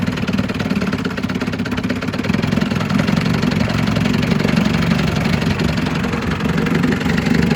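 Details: 1956 Scott Atwater Bail-A-Matic 10hp outboard, first test run after rebuild for overheating and low compression (cylinders honed, rerung, new crank seals, impeller, carburetor cleaned, points set). Rapid, steady two-stroke putter with low throaty beat, no misses or knocks; normal idle.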